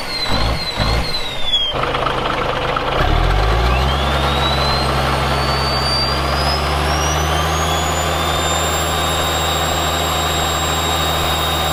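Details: Caterpillar 1693 diesel in a 1977 Peterbilt 359 toterhome, already warmed up: starter grind, then it catches and revs to a steady, even drone with a rising whistle. Normal running.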